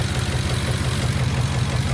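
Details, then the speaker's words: 2009 Ford F150 5.4 L V8 at idle, deep uneven stumble from a cylinder 4 misfire that smooths at higher rpm; vacuum leak at the cylinder 4 injector O-ring, which appears completely missing. "Misfire on cylinder number 4, only at idle. You raise RPMs up, it gets smoother. It's screaming vacuum leak."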